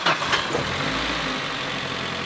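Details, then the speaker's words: Engine started and idling after a few ragged cranking bursts; tired-sounding starter motor beginning to fail, though the engine runs. "the starter's starting to go out. You can hear that, but be it as it may, it's running."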